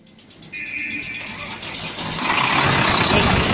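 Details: Volvo FM 370 truck with Volvo D11 diesel, long parked and cranking without starting; after bleeding air from the fuel system and torquing the overflow valve to about 50 Nm, it cranks with a quick even beat, catches and builds to steady clatter: normal start.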